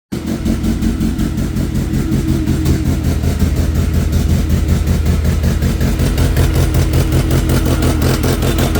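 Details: 2003 Mercedes C230 manual: engine idling with an uneven, lumpy beat and wavering rumble instead of a smooth hum, a rough idle.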